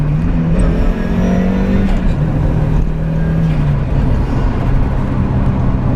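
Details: Turbocharged Mazda MX-5 with new I.L Motorsport engine mounts, poly bushes and subframe, fourth gear at 45 mph accelerating uphill: strong steady low drone with smooth rising note, no clunks or rattles; healthy under load.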